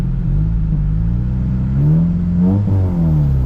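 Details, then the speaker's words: 2008 Honda Civic Si (FG2, K20Z3) after breakdown repair, cooling system being bled: deep, loud, unmuffled rumble swelling with throttle blips because the exhaust is disconnected. "I got to connect this exhaust. It sounds like crap."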